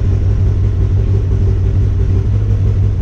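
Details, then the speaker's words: Polaris RZR just after Dynojet Power Vision 3 ECU reflash, cold start, no dash lights: steady, even low rumble with no misses or its usual sputter, settling straight into smooth idle; normal cold start idle. "sounds smooth this thing usually you know sputters a little bit when it first starts but shut this off I was actually a nice start that's impressive"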